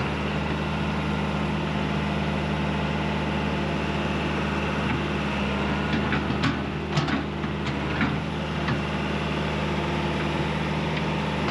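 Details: John Deere 190E excavator diesel with 7,706 hours on the meter, manual throttle just adjusted: idling with a steady low drone and an even, unbroken beat, no knocks or misses, a smooth healthy idle.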